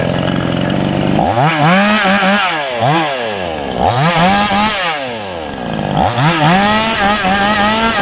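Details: TOMITSU 5800 chainsaw, sprocket (spur) type: engine shoots up into sharp, thin screaming revs about every two seconds and drops back; carburetor mixture set too lean, needs adjusting back richer for cutting with a bar.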